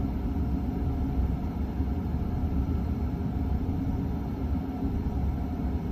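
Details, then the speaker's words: Emerson 48-inch friction-drive ceiling fan, believed late 1970s–early 1980s, running slow: constant deep droning rumble and vibration shaking the ceiling. Caused by the rubber drive band being held on its drive wheel with electrical tape. "this thing uh vibrates my whole ceiling because of the way i uh fixed it with electrical tape to get the rubber band to stay on the uh thing that makes the wheel spin around"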